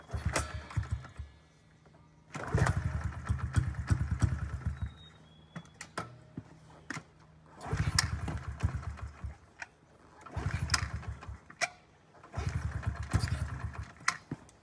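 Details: 2009 Honda CRF50F pit bike, not started in 2 years, kickstarted with choke up: repeated kicks each catch into a rough two-second sputter then die; hard starting because the choke was left on too long.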